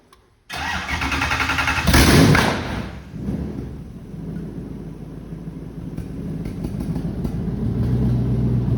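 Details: V8-swapped Mazda MX-5 build with Haltech ECU, water pump running, first crank on the key: cranks briefly, catches with a loud flare, then settles into a lumpy but steady low idle; normal start.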